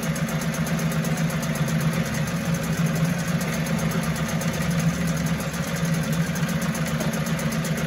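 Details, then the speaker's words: 1974 Mercury 4 hp single-cylinder two-stroke outboard, made in USA, revived after long storage: even buzzing note holding steady speed without stumbles or rattles; healthy, sweet easy-starting machine, normal running. "it don't get any better than that that is a sweet easy starting machine"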